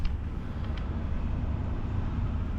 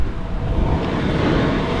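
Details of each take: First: Campervan diesel heater after sitting four months, fuel line re-primed with air still between filter and pump: low rumbling run with uneven pulsing rhythm slowly building, error 10 shown, slight heat; air in fuel line. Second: Campervan diesel heater after re-priming fuel line that had air in the tubes: steady low roar of combustion, even rumble, no sputtering; heat restored, only error 00 shown; normal diesel heater running.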